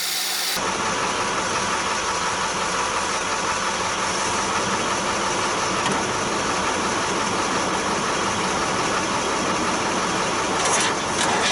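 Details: 1966 Austin London taxi, first start in years: steady hissy rush over low idle, no clear knock, air puffing back through intake; owner suspects something under an intake valve, and the blow-back cleared up by itself.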